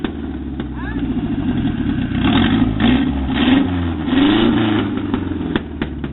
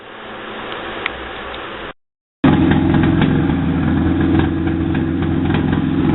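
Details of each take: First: Mazda truck with an engine swapped in from a 1994 Ford Ranger, first run on an old belt. The four-cylinder idles, then revs rise and fall smoothly without knocks or misfires. Normal running. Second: 1995 Mazda truck, old timing belt reused, first run with no exhaust pipe or O2 sensor fitted and one rear spark plug not yet accessed. Catches after a short gap into a loud, raw idle with sharp, fairly even pulses.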